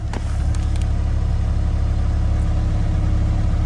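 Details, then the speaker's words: Car at Copart auction: steady, even low rumble at idle with no misses, knocks or ticking; engine idles healthily, normal idle. "and she runs like top listen to this"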